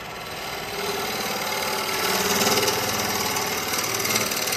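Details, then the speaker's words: Wood lathe turning an ash tray blank with a carbide chisel after raising speed; steady hissing cut at even pitch with no rhythmic bouncing, blank now spinning true and cutting smoothly. "you really hear the difference and see the difference so I'm not getting all that bounce"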